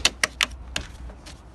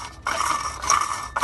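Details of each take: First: 2004 Ford Expedition after replacing the serpentine belt idler pulley: a few clicks, then the engine cranks, catches and settles to an even idle with no squeal, rattle or grinding from the belt. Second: 2003–04 Ford Expedition with the engine running: repeating high squeal in chirpy bursts about twice a second from the serpentine belt drive, caused by a broken idler pulley.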